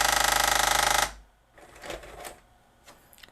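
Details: Magnavox ZV457MG9A VCR/DVD combo: a loud, rapid scraping rasp as it tries to load a tape, and it also scrapes with no tape. The back tension arm was bent, keeping the tape from going all the way down.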